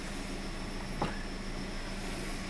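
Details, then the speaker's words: 2008 Kia Rio that had a flashing check-engine light and P0300/P0301/P0303 misfires, after a new coil on cylinder 1. Quiet, even engine hum with one brief cabin click; it runs smooth with no misfire, bump or stumble on a throttle snap. "all right let's see what she does feels smooth definitely not feeling any more misfire"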